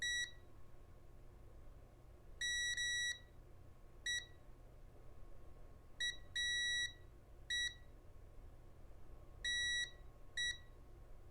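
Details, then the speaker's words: Rotel RSX-1067 receiver with no volume control, volume encoder turned slowly to half a revolution on multimeter continuity; erratic beep bursts of uneven length, nothing like the good control's even steps; volume encoder strongly suspected, to be removed and inspected. "so that's about a half a revolution right there and you can tell it was really didn't sound anything like the trouble control so I'm still very very suspicious of the volume encoder"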